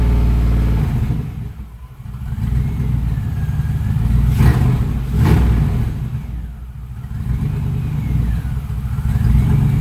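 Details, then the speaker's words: Freshly installed LS6 V8 on its first start: deep, even burble climbing smoothly through a couple of rev blips and settling back without misses; normal running. "Sounds pretty good. All right. Hey, it runs and it sounds great."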